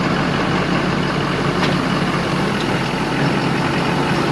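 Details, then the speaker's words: 2011–2018 Ford F250 6.7L Power Stroke diesel at idle: constant rushing hiss over the diesel clatter as charge air escapes from the broken OEM cold-side intercooler pipe, before replacement with an aftermarket pipe. "i don't know if you guys can hear that in the video but there's a loud hissing sound"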